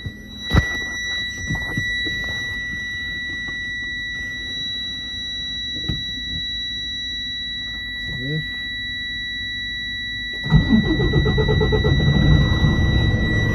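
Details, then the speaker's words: 2016 Freightliner Cascadia, DD15 diesel, hard-starting and stalling: after a quiet stretch with dash buzzer, fires at once and runs evenly; cause was air drawn in at the water-separator fuel filter, fixed by refilling and priming fuel. "están mis amigos ahí prendió de inmediato se dan cuenta porque era porque estaba agarrando aire arriba"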